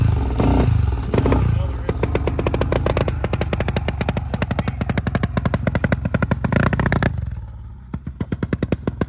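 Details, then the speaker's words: Honda TRX400EX single-cylinder thumps unevenly with sharp chuffing pops, stumbling and dying, with exhaust seen shooting out; owner suspects a blown head gasket, possibly a roasted piston too. "guess I'm ordering a head gasket kit for this pile."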